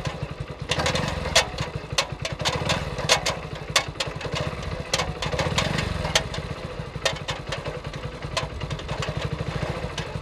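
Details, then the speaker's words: New Hero Splendor Plus 2023 BS6 100cc, about 642-650 km, revving in second gear: light rapid ticking over the single's even beat; ticking attributed to the faulty new chain set. "जो टिक-टिक की आवाज़ आपने सुनी, वह इसकी नई chain set से आ रही है, और यह मोटरसाइकिल बिल्कुल नई है।"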